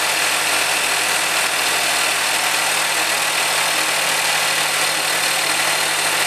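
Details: Mazda 6 MPS (Mazdaspeed 6) with only an airbox/short-ram intake mod, just started: a steady, even idle with a dense hiss on top and no knock or stumble, idling on its own.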